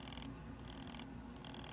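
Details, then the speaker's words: Ionic hair dryer with 110,000 RPM brushless motor won't turn on: repeated ratchety clicking with bursts of high chatter, motor never spins up. "It just does this. It won't turn on."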